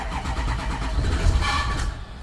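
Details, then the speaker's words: 2008 Ford E350 6.0 Powerstroke diesel, starting after secondary fuel filter replacement and four 30-second primes: turns over and catches with heavy low rumble and brief odd roughness; owner suspects stuff sprayed into air intake caused the noise, then it runs. "whoops I don't know what that was but let's try it again I'm gonna run kind of rough because of all the crap that I sprayed in the air intake that's probably what that noise was"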